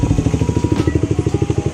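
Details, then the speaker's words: Kawasaki Ninja 250 SL Mono (KLX 250 engine) after repairing engine head damage blamed on low oil: crisp, regular single-cylinder pops about eleven per second, no ticking or rattle; runs smooth and healthy. "jadi ini suarane bisa dibandingkan sama yang kemarin Mas belukar Alhamdulillah suaranya halus enggak ada trouble"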